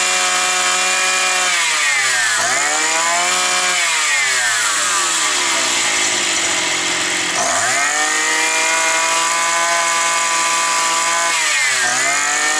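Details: Likely 52cc petrol brush cutter that started then stalled, probably after sitting over winter; the cause was gunk in it. After cleaning, with no air filter fitted yet, the high buzzing two-stroke revs up and drops back cleanly several times without stalling.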